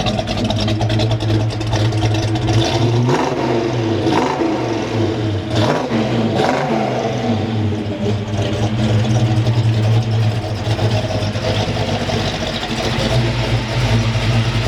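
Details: Restored 1970 Chevelle SS454, 454 cid big-block V8 rated 360hp with Turbo 400 automatic: deep, even rumble climbing cleanly through several blips, settling to a smooth idle with no knocks; normal healthy running and revving.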